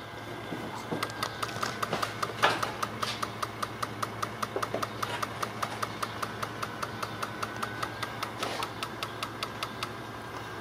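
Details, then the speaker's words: Fuel injector actuation test via scan tool, ignition on and engine not running: sharp, even clicks about two and a half times a second as the injector opens and closes. Normal fuel injector clicking. "you can definitely tell that this injector is opening and closing"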